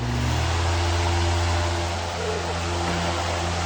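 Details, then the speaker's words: TPI F-18-TE fan running on high after its start-up buzzing on low and medium was fixed: steady rushing air over a smooth low motor hum, no rattle or buzz; long spin-down. "so uh i also want to show you this i'm gonna turn it on on high"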